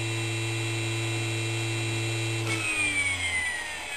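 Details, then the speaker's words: Salvaged hard-drive brushless DC motor on 12 V battery, Arduino control with Hall sensors, braking via potentiometer: steady hum and whine sliding down smoothly; regenerative braking strong at high speed, weak at low speed, stops in about 16 s versus 37 s unbraked. "you can hear the regenerative braking mostly works when the motor is going fast when the motor is going slow there's not much back EMF and very little regenerative braking and it came to a stop in about 16 second"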